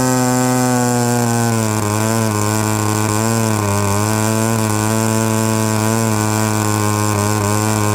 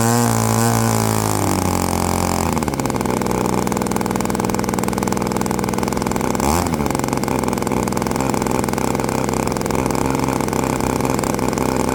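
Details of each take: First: Byron Christen Eagle RC model plane with Quadra 50 gas engine, first run after 25+ years sitting; steady high-pitched buzzing note holding even speed with slight wavering: running cleanly and healthy. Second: Byron Christen Eagle RC model plane, Quadra 50 gas engine revived after 25+ years; revs up and holds a steady buzzing high speed, slightly soft and burbly at the top: mixture a hair rich on the high end.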